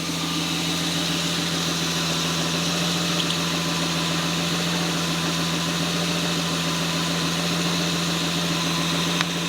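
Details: 1978 Toyota BJ40 Landcruiser with a swapped 5-litre twin-turbo 1GZ-FE V12 on a new Haltech Elite 2500 ECU, first start on the untuned base map; smooth, even idle with a steady low hum, no knocks or stumbles.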